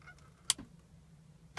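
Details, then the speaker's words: BMW X3 (57 plate) M Sport turning the key to start: two sharp clicks a second apart, no crank; dash lights work, bump-starts but not jump-starts; faulty starter motor. "and nothing. All you can hear is a click."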